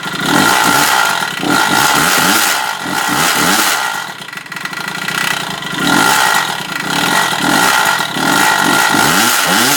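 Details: 2007 Kawasaki KX65 two-stroke revving up and down with a rattling, uneven clatter over the exhaust on each rev; internal engine knock, cause unknown.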